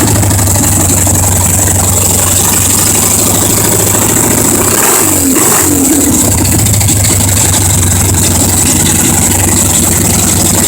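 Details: 1977 Harley Ironhead, fresh rebuild from scrap parts, first start-up fed from a remote IV tank with no fuel tank or seat fitted: a loud, lumpy twin-cylinder idle with one quick rev blip that settles cleanly. Normal running.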